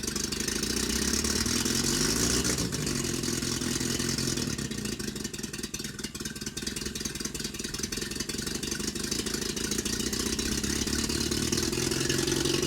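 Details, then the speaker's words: 1965 Renault R8 1100 first start after fitting a replacement intake and exhaust manifold, air cleaner off: it idles unevenly with a raspy puffing chuff, a terrible exhaust leak because the downpipe was not fully tightened. "well it runs it has a terrible exhaust leak i didn't tighten up everything on that downpipe so i need to do that"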